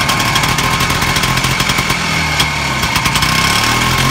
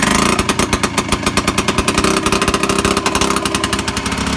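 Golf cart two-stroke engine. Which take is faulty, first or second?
second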